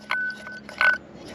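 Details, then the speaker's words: Large turbo removed from a dirt-drag race truck, spun by hand: thin whirring with scrapy clinks that dies fast; owner suspects the core has moved and the wheel is rubbing the housing. "Oh, that doesn't sound good though, does it?"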